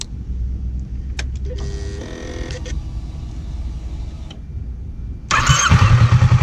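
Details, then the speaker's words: Kawasaki Versys 650, fully warm after about 20 minutes running: hot start catches instantly with no hesitation and settles to an even idle, stabilized at 1,300 rpm. Normal hot start and idle. "eu vou dar uma partida a quente aqui vocês vão perceber que ela não vai exitar que vai dar a partida perfeito porque ela tá bem configurada aqui"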